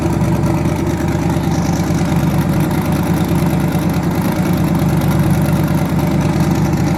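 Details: Twin-turbo V8 truck, now running on eight cylinders instead of seven after an earlier dead cylinder was fixed: deep, lumpy but steady burble with no dropped beat or stumble; normal idle on all cylinders.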